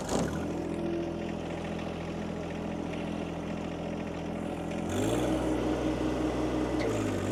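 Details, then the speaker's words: John Deere 2025R driving a Tarter RT205 rototiller by PTO: steady drone then the note sags and labors as load hits, bogging; top gearbox oil leaked out over winter and gears seized; seized PTO tiller gearbox. "all right something's something's jacked up [Music] well something's wrong and I'm not really sure what it is"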